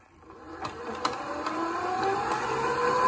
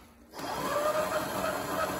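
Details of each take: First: FXB Fish 16-inch 24V hub-motor e-bike that takes off slowly compared with another bike. The motor whine climbs slowly in pitch on a lazy takeoff; a loose chain and possibly binding brakes are suspected of adding resistance. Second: 24 V FXB Fish 16-inch electric bike after the slow-takeoff repair, tested in low then high mode with the chain tightened; clean, even whine climbing smoothly with no grinding or stutter, normal instant takeoff.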